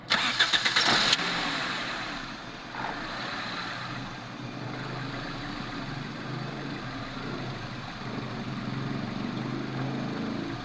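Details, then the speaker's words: 2007 Toyota Corolla XLi with black smoke and poor fuel economy: brief start then low, slightly uneven idle that never rises and the engine still vibrates; the idle control valve is stuck and not responding. "ये जो इसका idol control sensor है ना, गाड़ी को इधर जो है ना रेस हो जाना चाहिए था, गाड़ी रेस नहीं हो रही। इंजन के ऊपर करो, इंजन वाइब्रेट कर रहा है अभी भी।"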